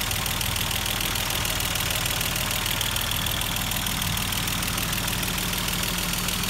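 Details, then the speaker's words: Mercedes-Benz W124 engine just restarted after cylinder head refit: rough idle with fast light ticking about three per second, from hydraulic valve adjusters not yet filled with oil. "Mesin sedikit terdengar agak kasar dikarenakan adjuster pada mesin belum naik atau oli pada adjuster belum terisi dengan penuh, sehingga menimbulkan bunyi yang sedikit agak kasar."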